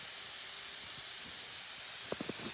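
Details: Maple sap vacuum system, 11,000 taps, dry January lines: faint continuous high-pitched hiss of air drawn in through bear-bitten tubing, a few handling clicks near the end; vacuum leak.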